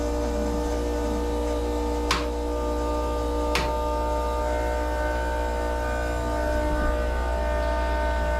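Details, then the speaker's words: Lotus Super 7 with turbo S2000 F20C swap on AEM EMS Series 2, main power and ignition on, engine not running: steady, even fuel pump hum with faint whine and clicks, normal priming. "Main power, ignition on. I can hear the fuel pump."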